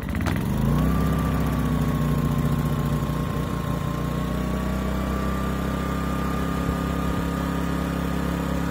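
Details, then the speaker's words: New Pulsar G2319N inverter generator, 2300 W peak and 1800 W rated, on its first startup from choke: it fires first pull and settles into a smooth, quiet, steady hum at 4100 rpm with economy mode off. Running healthy. "wow it's pretty dang quiet and it's running at 4 100 rpms it's not in economy mode"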